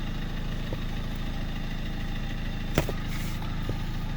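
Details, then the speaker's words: Car at idle after brake booster (vacuum servo) repair, pedal pressed: single brief clunk, no air hiss, whereas before repair an air sound was heard when braking; normal brake booster, no vacuum leak. "Görüyorsunuz hiç e hava kaçağı falan yok. Ses geliyordu. Hava sesi frene bastığınız zaman kesiliyordu."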